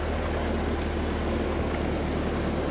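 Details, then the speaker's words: Ford 8N tractor after new fuel flushed a gray sediment bowl and all-new spark plugs: steady low even rumble, no popping or misses, smooth settled idle; battery possibly weak. "We ran that new fuel through there and now she's cleared. Yeah. All new spark plugs. The thing's running like a champ."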